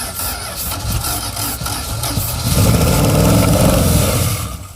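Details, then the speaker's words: Long-abandoned circa-1975 Dodge pickup 360 small-block V8 with points distributor, no driveshaft, first revival run: catches after a brief rough moment, revs sharp and free like a buzz saw with even firing, settles cleanly; runs perfectly. "does it sound good to you you oh yeah did you see hear it rev up like like a buzz saw uh-huh no it runs perfectly"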